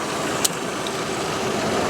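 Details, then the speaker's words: 2000 Volkswagen Jetta four-cylinder with 212,000 miles, idling: steady, even smooth hum with no knocks, ticks or misses; idles pretty good. "okay let's whip this baby up so you can hear it does sound like it idles pretty good"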